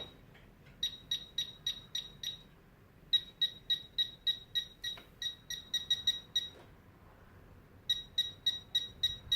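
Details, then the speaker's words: Tek Point probe pinpointer detecting a silver denarius. Quick, crisp high-pitched chirps in repeated bursts, about three or four a second, pausing between passes; detecting the coin properly. "I'm not just a dealer but I think the depth of this thing is unbelievable"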